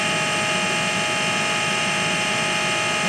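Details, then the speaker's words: AEG Lavatherm 56800 dryer, after PCB relay swap to fix motor turning only one direction: steady even whirring hum at constant pitch, no grinding or clicking; motor running normally. "okay so now it's working seems like it's working"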